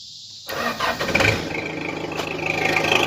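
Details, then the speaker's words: 480 started after cleaning badly corroded battery terminals: it cranks briefly, fires right up on its own and settles into a steady, healthy run. "fire's right up fire's right up on its own now that's how you that's how you fix corrosion guys"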